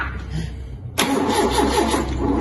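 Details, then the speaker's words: Mk2 Ford Capri 2.0 GT Pinto engine, unused for many years, new distributor fitted, ignition timing out; cranking gives churning rush and uneven pulsing that never settles; suspected 180 degrees out or too far, unconfirmed: hard starting, engine cranks without settling. "locking up so he's 180 out he no it's just probably too far start but or it might be 180 out"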